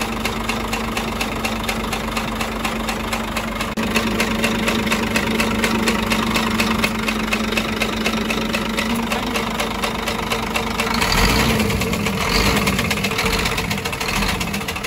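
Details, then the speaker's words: Scania 13-litre truck diesel at idle with a heavy knock riding the engine rhythm; mechanic suspects a broken connecting rod bushing or bearing on cylinder five, not yet confirmed. "есть втулка шатуна разбита либо вкладыш именно пятого цилиндра будем смотреть что у нас здесь"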